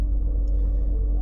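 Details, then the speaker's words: 2006–2012 Toyota RAV4, about 10 degrees outside, after fuel pump replacement with a forgotten O-ring fixed: smooth, deep, steady idle without stumbles, revs up and starts nicely; earlier it sputtered and died after 5–10 seconds. "But as you can hear, it's running nice and smooth. Getting fuel, it sounds like. Revs up, and she starts nice."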